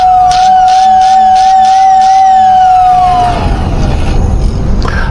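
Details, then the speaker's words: 86-year-old Lionel whistle, after oiling both motor shaft ends, brushes uncleaned, relay jumped: a strong, steady whistle for about three seconds, then sliding down as the motor spins down; it works clean and healthy. "When I jump the relay, one genuine 86-year-old whistle, ready for service."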